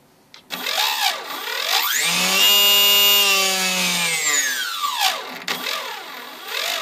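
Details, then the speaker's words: Turnigy SK3 Aerodrive 2836 outrunner motor on a HobbyKing Sbach with APC 12x6 prop, after 16 aerobatic flights up to 8000 rpm: harsh loud whine rising and falling with speed, rough edge; once quiet, owner suspects a rough, damaged bearing. "the first time that was not and it was low noise and now it is very loud"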